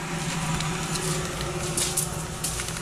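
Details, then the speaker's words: Shop-made woodworking blower motor on its stand, spun up and spinning down: a steady low hum with a rough, gritty hiss and scattered ticks, compared against a quiet good motor; a worn bearing, later disassembled for bearing replacement. "uh that one is not good it's got a be in wet dry we got to fix for that"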